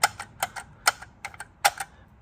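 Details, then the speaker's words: 2017 Lexus LX570 driving below 40 mph: light, irregular metallic clicks with no steady rhythm. Loose starfish wheel center caps rattling, no broken clips; fixed by fitting smaller solid caps. "and if you do it's probably these stupid caps so I had two choices one try to put tape around the rim of it like oh there it is"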